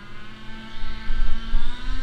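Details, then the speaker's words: HSP nitro rally RC car: engine pitch climbs steadily and never drops back, so the two-speed gearbox is not shifting into second; spring tension to be backed off so it shifts earlier. "not shifting all right well it didn't shift so let's go adjust it see if we can adjust it make it shift earlier"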